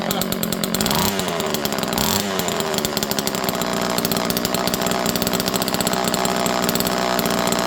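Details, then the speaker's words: Old Homelite Super Mini two-stroke chainsaw started cold without choke, manual decompressor used, spark initially uncertain: holds a steady, crisp high-speed buzz with no stumbling or misses, running well. "I'm going to fire this up one more time. This thing runs perfect."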